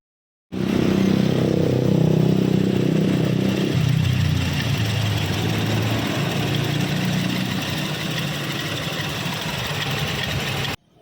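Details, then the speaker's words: Toyota Kijang LGX EFI that would not start due to a jumpered fuel pump wire, after repair: engine fires cleanly and settles into a smooth, steady idle with even low rumble and no misses; running normally again. "Nah sekarang setelah saya perbaiki mesin sudah hidup Ya sudah normal kembali"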